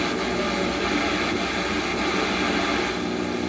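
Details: Harman Kardon Eight Twenty (820) stereo receiver, FM tuner: after grounding to the tuner cap, reception is slightly improved while switching channels. Steady static hiss with no clear station. IF board voltages are fine and the tuner assembly resistors and transistors tested good; cause unconfirmed.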